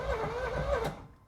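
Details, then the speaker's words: 1986 Chevrolet Corvette C4 project car, first start attempt after new spark plugs, voltage 11.4: engine cranks steadily with zero combustion; fuel pump not heard priming at key-on, fuel delivery suspected. "So, I I can feel there's zero combustion going on, so it's probably And I didn't hear the fuel pump prime at all when I click it on."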